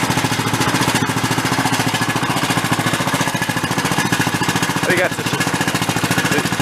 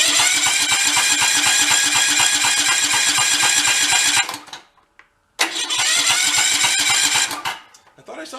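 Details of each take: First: 20-year-old Cub Cadet riding mower after freeing a stuck, over-tight choke: fast even chugging at steady speed with slight tinny rattle, suspected internal muffler or muffler against frame; engine runs fine. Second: About 20-year-old Cub Cadet riding mower, throttle in the middle: starter turns over with even pulses, cuts out and tries again as the engine kicks back against it; sheared flywheel key, smoke near exhaust hints at possible blown head gasket.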